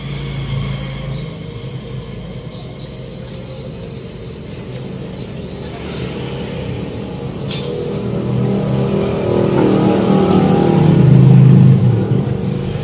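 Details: Front wheel of an older Toyota Avanza after replacing the rumbling front wheel bearing: even tyre and road hum builds with speed, with no growl or rumble left. The new bearing sounds healthy.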